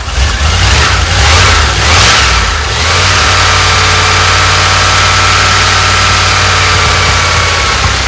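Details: 1988 Dodge Ram W150 4x4 V8 with TBI injection, first run after long storage with the fuel gauge below empty. A few throttle blips, then a steady, even idle with a faint whine on top; runs normally for this engine, fuel pump working.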